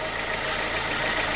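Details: Audi 80 petrol engine idling cold after the distributor cap was corrected and the plug leads swapped back to the right cylinders; steady, even, quiet idle, no skipping or knocking, only a slight camshaft tapping noted; normal idle.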